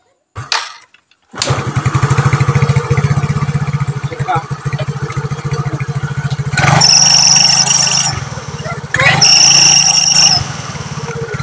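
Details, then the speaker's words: Yamaha Mio scooter CVT rattles on starting and revving, with a rough creak and thin high squeal; dry rollers suspected, fix is greasing the rollers in the CVT pulley. "Ketika di starter, di gas, ada bunyi aneh pada bagian CVT-nya."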